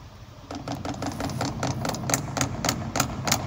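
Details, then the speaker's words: Heating-system radiator valve installed against its flow arrow: rapid irregular metallic tapping, about three knocks a second, as reversed flow makes the valve cone vibrate. Fix is reinstalling the valve with the arrow matching flow direction. "if flow goes this direction it creates a movement of the the cone and it starts to vibrate and here it comes the the banging the the knocking noise in the system"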